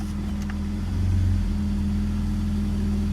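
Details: BMW E46 M54 after torque converter repair, idling in reverse: steady, low, even hum with no knock or clatter under slight load; the foreign noise is gone.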